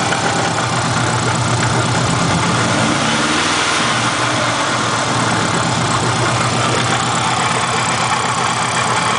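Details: Engine knocking at idle, steady knock over the run; owner leans toward not rod knock and suspects something rubbing on the timing cover.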